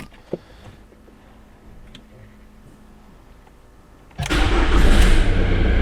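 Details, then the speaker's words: Jaguar X-Type 2.2 litre diesel estate, first start on a jump pack with flat battery, clutch in: near quiet, then catches at once into a steady, even idle; no error lights, no smoke, runs very well. "that just came into life no error lights nothing no smoke out the back well that ran very well"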